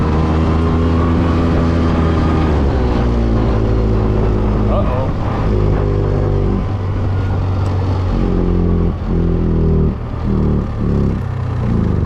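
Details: Old two-stroke Polaris 6x6 after a budget rebuild, maiden run; busy, uneven low drone rising and falling with throttle, then sputters and cuts out as it ran out of fuel; otherwise normal running.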